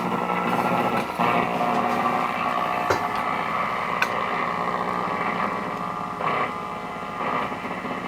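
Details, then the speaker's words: Old Zenith tube table radio, working: a raspy buzz with irregular clicks over the radio's hiss, picked up through the antenna from the nearby camera whenever its light blinks; stops when the camera is off. "it's every time the camera does a right I can see the little light blinking on the camera it makes that buzzing noise in the um in the radio is't that something"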